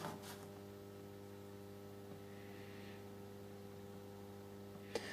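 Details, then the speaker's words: Solis grid-tie solar inverter on the bench during low-voltage start testing and repair, DC input turned down to about 80 V while it still reads no watts: steady low electrical hum, no buzzing or crackle; normal inverter hum. "you can hear it humming though we're on 80 volts now take it down a bit"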